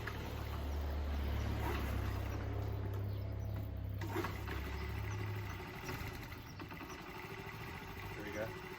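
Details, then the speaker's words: Small motorcycle that sat with old fuel, refilled with fresh gas after several kicks: low, uneven putter runs a few seconds then fades and quits when revved, old fuel still clearing; flooded carburettor stalling when revved. "see how it stops when i rev because it's flooding"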